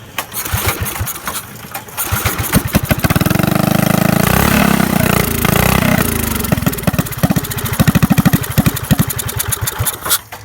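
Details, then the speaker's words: Barn-find go-kart small single-cylinder engine, cold, no governor fitted, not fully bolted down: catches and runs unevenly, stumbling and surging rather than holding steady; rough running. "there it is not running real good it's cold right now"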